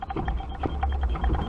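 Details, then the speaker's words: 1997 Fiat Uno Mille, engine off, steering rocked by hand with a bar: dull irregular clunks from inside the steering box area, felt as toc-toc on cobbles. "Você vê que o terminal aqui ele movimenta um pouco, mas o barulho está vindo lá de dentro. Isso aqui no calçamento faz um barulho horrível lá, que fica muito rápido esse movimento assim, ó."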